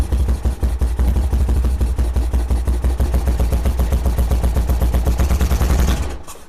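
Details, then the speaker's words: Cold 1978 BMW R100S airhead twin, first start after years sitting: coughs and stumbles at a fast, uneven idle, firing lopsided before dying; running but not well, likely a gummed carb. "It's running, which was the goal, but it sure isn't running well."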